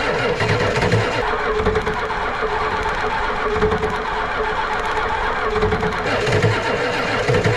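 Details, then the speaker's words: Ford 7.3 IDI diesel cranked to bleed the injectors: slow, uneven cranking that sags and never catches because the single battery is nearly dead; a second battery is then added. "she is running pretty low on battery again but let's just see I'm going to crank it over and just bleed the rest of these injectors out a little bit try her"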